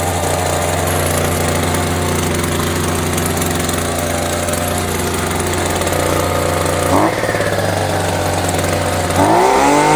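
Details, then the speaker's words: Champion 23C two-stroke string trimmer, running on fuel dribbled into the carburetor: steady buzz falters and sags, then catches and revs again before randomly dying and refusing to restart. Owner suspects a tampered carburetor starving fuel. "Just randomly dies and then then it won't start again. That is phenomenally ridiculous."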